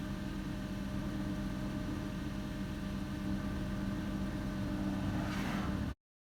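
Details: 2007 Toyota Tacoma running with AC and headlights on: steady whine above engine hum when accelerating; charging voltage drops below 12 V (should stay 13.5–15 V, 12.4 V engine off), failing alternator.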